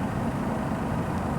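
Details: Dehumidifier after a DIY repair, running under 20 minutes: steady low hum with an even tone and no rattles or clicks; compressor sounds smooth, and water is now coming out of the drain-hose outlet.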